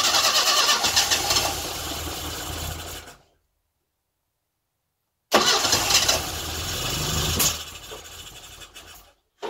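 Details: Classic Mini engine's first start after tappets readjusted and timing corrected, compression spot on, distributor tweaked; cranks, catches and fires, pauses, then fires again into a running idle. Little fuel in the carb, so it won't run long.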